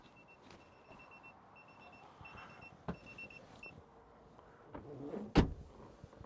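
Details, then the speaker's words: Citroen Ami with newly fitted tyre pressure monitoring sensors: high, thin electronic beep in short even bursts warning of low tyre pressure, readings around 2.1 and 1.9 bar. "I'll do my tire pressures again um and jobs are good that's it it's uh directly in my line of site and uh the one that's down is fashion"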